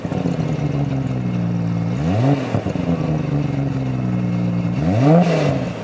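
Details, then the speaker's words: Nissan R32 GT-R tuned to about 500 hp with a catalyser in the exhaust: smooth even six-cylinder idle with two quick clean revs, no popping. Quieter than a full straight pipe; normal exhaust note. "you might have thought hey that's kind of quiet for the level of tune that this car has but that's because it has that catalyser in there and that does quiet it down a lot versus being a full straight pipe"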